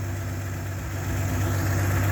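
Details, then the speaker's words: 1967 GMC panel truck, 3-speed column manual, idled down: low, smooth, even rumble with no ticks or stumbles; the old engine purrs, a healthy normal idle. "Oh yeah, listen to this old girl just purr. Like, I'm not kidding."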